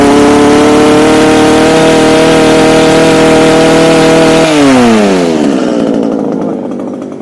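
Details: Echo HC2000 hedge trimmer, a garbage find, running after primer bulb replacement on a poor oil mix with Seafoam added: steady, even buzzing two-stroke idle for several seconds, then winds down at shutoff. It idles properly.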